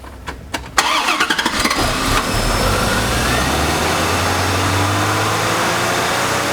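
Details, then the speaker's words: 1996 C4 Corvette Grand Sport with long cranking after sitting, fuel pump suspected since pressure drops to 0 psi: a few quick cranks, it catches cleanly and settles into an even, smooth idle; runs perfect, so not an injector. "So I'll have Mrs. Wizard start the engine up and we can listen to it run. You can hear that it runs perfect."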